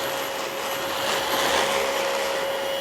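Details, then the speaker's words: Dyson DC25 upright vacuum found on the curb, filthy inside and out: a steady hollow hooting over the motor's rushing airflow, caused by air leaking past the poorly sealed exhaust filter. "so that hooting that you hear is from the poor seal of the exhaust filter I mean that is that's hilarious"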